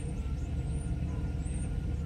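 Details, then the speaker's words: Mercedes S600 coupe, warm engine at idle: low, uneven rumble with a slightly lumpy, unsteady beat and no clear knock. Vacuum leaks present and the other engine mount is collapsed; cause of the rough idle unconfirmed. "the engine is like rough when it when it warms up"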